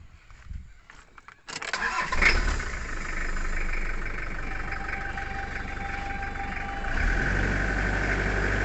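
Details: Toyota Hilux with a flat battery, jump-started: quiet clicks, then the starter catches and the engine settles into a steady, even idle that lifts slightly near the end; runs fine.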